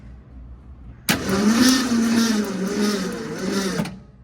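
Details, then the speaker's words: 1966 Ford Mustang with third replacement starter, cranked with spark plugs removed: sluggish cranking at only about two turns a second, plug wires heard hitting; slow cranking, starter suspected of dragging, not confirmed. "Okay, there's nothing. There's no plugs in there, but you could hear all the plugs, the spark plug wires hitting. So, let's pull that starter back out. See if it's dragging because that's moving really slow for uh no compression, you know."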